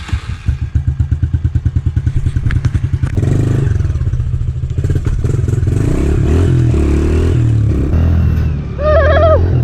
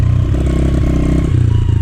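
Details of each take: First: 2013 Honda CRF110F that sat most of its low-hour life, after carb cleaning, a rebuild kit, a new main jet and an adjustable needle on the middle clip. It idles with an even thump and revs cleanly without bogging, running like new. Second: Sitting 2013 Honda CRF110F, low hours, after carb cleaning and air filter replacement: single-cylinder runs slightly better but still sputters and stumbles; old fuel is drained next.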